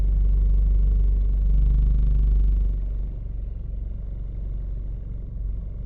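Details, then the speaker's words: 2014 Scion xD driving with vibration in the steering wheel. A deep droning rumble throbbing about four times a second; cause not identified in the clip. "hi everyone does anyone know why I have some vibration in a steering wheel and I hope you can hear the noise it"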